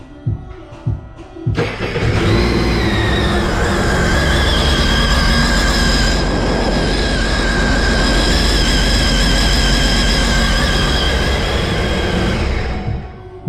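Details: Sea-Doo engine after new carbon seal and bellow boot bearing, which had been shaking badly on the water; engine catches and holds a steady, even drone with no wobble, knock or grinding: normal running.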